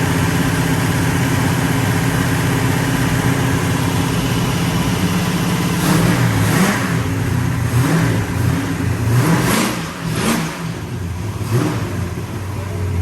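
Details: 1966 Pontiac GTO convertible V8 after repairing water getting into a cylinder (white smoke): deep rumble with clean throttle blips rising and settling smoothly, no misses or knocks.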